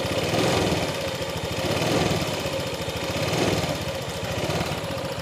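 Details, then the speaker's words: Fuel-injected motorcycle that stalls while riding, fuel pressure 42 at standard: revs rise and sag in slow waves about every second and a half; surging, hesitant throttle response, cause not found. "gasnya itu bergelombang, mas bro. Yang diartikan bergelombang itu rasa nyandatnya itu ada."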